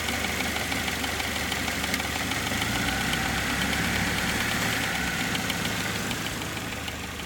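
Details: Saturn SL2 DOHC four-cylinder at steady idle with a light sharp ticking, about three ticks a second, over the engine hum; cause undiagnosed.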